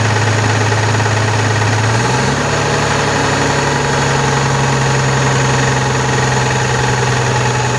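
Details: Constellation 19320 truck diesel after cylinder/piston rebuild, idling without throttle: heavy idle hum shifting to higher drone; noise attributed to the compressor, dirt in an air valve; camshaft gear play also suspected.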